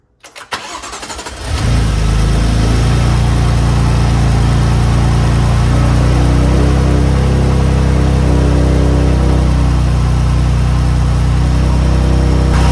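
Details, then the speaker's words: 2015 BMW M4 (F82), S55 engine, first start after a DIY spark plug change with NGK plugs: brief crank, then it catches at once and settles into a steady, smooth idle with no misfire; runs good. "all right it runs all right well that is it the car runs sounds good"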